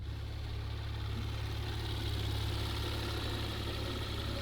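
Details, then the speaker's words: Salvage 2018 Porsche Macan GTS, first start before rebuild, nearly out of fuel, all dash lights on, missing running gear, radiator fan on immediately: smooth, even idle, steady hum, no knocks, ticks or misses; engine sounds healthy. "know, for missing half the running gear and the radiator fan coming on immediately, I gotta say, this thing sounds healthy."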